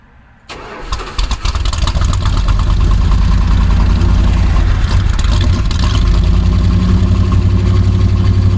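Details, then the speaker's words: 1965 Dodge A100 van that sat for years, with fuel poured into the carburetor bowl because the pump is not yet delivering: brief cranking, then it catches and climbs to a loud, slightly uneven idle running on the primed fuel only. "All right, now I've made a mess and uh kind of got some fuel in it. See if it'll run. Pump it."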